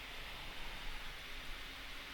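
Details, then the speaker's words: PC fans on a DeepCool FH-10 hub with a Corsair iCUE H100i RGB PRO XT radiator, mic placed on them: loud steady high-pitched rush, running flat out without PWM speed control; software reads 4,000 rpm, owner thinks nearer 2,500. "i think you can hear it now put my mic on it it's nasty um in the iq inside the windows it actually says they are doing 4 000 rounds per minute"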